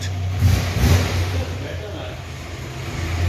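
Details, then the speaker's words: 1940s Hudson with a big side-valve (flathead) engine, after its thin exhaust was welded. Low, steady exhaust rumble with no puffing or ticking leaks; it sounds like new and better than before, so the repaired exhaust is sealed. "No, it does sound, well, obviously sounds better."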